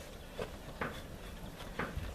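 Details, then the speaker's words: Tavria rear hatch after repair (drilled-in rubber stop bumpers replacing torn seal that left a gap): hatch shaken while closed gives only soft dull bumps, no knocking or rattle, holds firmly. "я за неё шатаю, ничего не стучит, всё отлично держится, всё хорошо."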